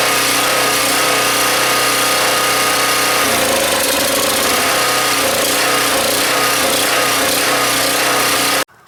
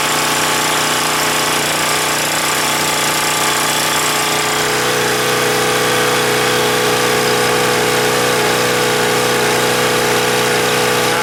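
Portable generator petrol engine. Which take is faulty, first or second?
first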